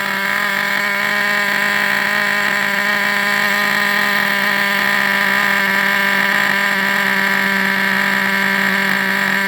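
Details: Vintage Traxxas nitro RC buggy engine on the bench: high, steady screaming tone at constant pitch with no sputter or dropouts; runs smooth.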